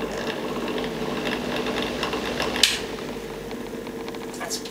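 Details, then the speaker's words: Original bathroom exhaust fan, as old as the house: steady hum over a scratchy, rattling rasp from dry motor bearings; fixed by cleaning and repacking the bearings with grease. "sounds pretty dry to me it is the original fan when the house is built so it should Coast for longer than that"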